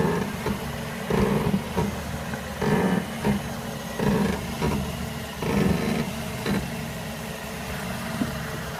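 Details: 2006 Mazda 6: irregular low creaks and groans in bursts every second or two near the driver's side wheel; no play found with wheel off, greasing a bushing didn't help; suspension creak, exact source unknown.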